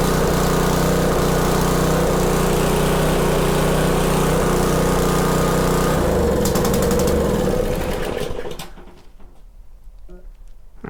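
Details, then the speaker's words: Subaru EA190V small engine, previously not starting, choke set to cold: catches and runs evenly at a steady fast beat for a couple of seconds, no pop or backfire, winds down cleanly; normal start and run. "No pop. And it only ran for a couple seconds. So, looks like we're good to go on that."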